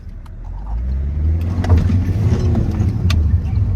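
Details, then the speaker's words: Alfa Romeo Giulietta after fitting a replacement turbo: engine note swells smoothly and pulls hard as revs climb, no flutter or knocking; turbo boosting normally with much more power. "I know what a turbo sounds like. I heard that turbo whistle as soon as he pulled away. I heard it sucking in air."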